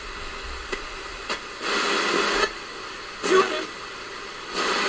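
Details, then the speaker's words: Crown TRF-2200A radio on FM: mostly faint hiss with surges of loud static and no clear station; weak, noisy reception because the aerial is disconnected. "so i'm putting on that i'm not getting much and i think that's because as i said the aerial is disconnected so this area here i don't think it's connected to anything"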